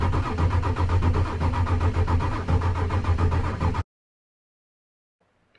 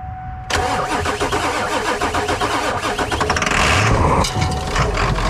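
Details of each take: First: 1996 Ford F250 7.3 L Powerstroke diesel during revival, cranked with a component unplugged: the starter chugs about four even beats a second with no firing, and the RPM gauge doesn't move; a crank position sensor fault is suspected, not confirmed. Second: 1996 Ford F250 7.3L Powerstroke diesel revived after sitting, started with starting fluid: short whine then sudden loud catch into rough clattering diesel idle that settles and holds; healthy start.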